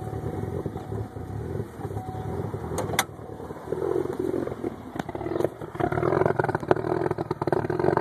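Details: Pontiac Solstice GXP cold start at 54 degrees: rough, uneven idle with the beat stumbling every few seconds, a cold-start misfire expected to settle as it warms.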